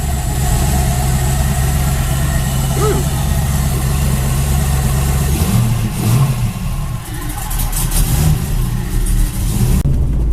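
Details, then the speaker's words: Camaro with a junkyard 5.3 V8, TH400, stage 2 cam and 92mm throttle body ran badly after a burnout. With the MAP sensor unplugged it sits in limp mode, with an uneven rumble and sluggish throttle pickup. Owner suspects a bad MAP sensor. "without the uh mouth plugged in in limp mode it takes throttle position not great but it takes it"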